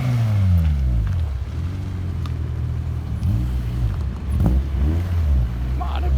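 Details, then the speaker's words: Honda K20A2 engine first start-up after install, exhaust fitted and ECU tune still being adjusted; revs blip up and down then settle to an even, steady running note with no knocking or misfire; normal running. "awk that sounds good all right so I figure out my camera at home because we work today and we've just got we're messing with the car now I got the exhaust put up"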